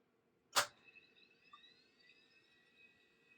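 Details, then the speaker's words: Mid-1990s Monorail all-in-one PC hard drive, removed and tested after percussive slap: sharp slap, then faint rising whine as platters spin up and then spin down; owner guesses head crash with heads stuck to the disc. "There we go, it spun right up. And then it spun down. It sounds like a head crash, so I'm guessing the head crashed on the disc."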